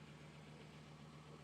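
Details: 1991 Audi 90 20v quattro idling just after a new fuel filter was fitted, with no leaks found: steady, even low idle hum with no misses, knocks or hunting; the engine settles smoothly. Normal idle.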